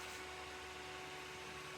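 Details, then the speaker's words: Strong five-blade PC cooling fan, rated about 4200 rpm, measured near 4600 rpm: steady high-speed airy whoosh with a faint constant tone, even and unwavering; normal fan running. "okay so now this is a very strong fan and for this one I found somewhere the the speed to be somewhere around 4200 and it's a strong one you can hear it"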